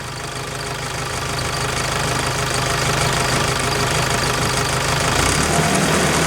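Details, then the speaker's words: ASV PT-100 track loader diesel after electric fuel lift pump replacement, revved from idle: climbs smoothly to a steady higher speed with an even beat and no misses. It later restarts without glow plugs. Normal revving. "that runs out well I think that sounds great"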